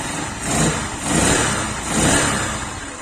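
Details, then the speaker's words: Zanella ZR 150 single-cylinder pushrod engine with Honda XR150 exhaust fitted to replace rusted, cracked original: revs rise and fall smoothly with soft muffled note, no rasp or rattle; much quieter, valvetrain noise now more audible. "Ahora en realidad empezamos a escuchar el ruido de estos motores varilleros, que se escucha más. Pero bueno, realmente quedó muy silenciosa."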